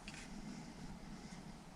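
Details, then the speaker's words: MrCool DIY mini-split indoor unit after blower motor replacement, running in heat mode set to 80 degrees: only a soft, steady airflow hum with no rattle, squeal or grinding; normal blower operation. "okay so we're putting that on we put it on heat there it goes it's super quiet"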